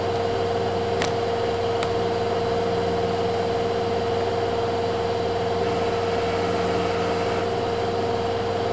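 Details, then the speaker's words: Kenmore (LG) 796.41392.511 front-load washer, 5 years old, spinning at about 1150–1200 RPM in test mode: quiet, steady mid-pitched inverter motor hum, no grinding or thumping, barely audible from next room; normal high-speed spin. "inverter motor is super quiet on this thing I can barely hear it from the next room"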